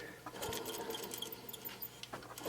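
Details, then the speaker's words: 2002 Chevy Avalanche 1500 5.3L alternator pulley spun by hand: dry, gritty scratching with small squeaks instead of a free spin; dry bearing, with lights flashing and a smell; alternator, belt and idler pulley replaced. "listen this alternate your bearings slacking it we goes up and down dry bearing and repping out-of-staters"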